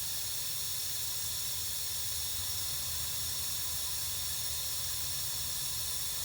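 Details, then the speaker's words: Lennox gas package unit with no cooling or heating: refrigerant added with gauges on, then a constant sharp hiss of gas escaping under pressure, a refrigerant leak that is easy to find. "let's just throw some in here and see how quick we hear it coming out i didn't hear any huge places pouring it out so we'll go ahead and get enough in there to work with oh i hear it now"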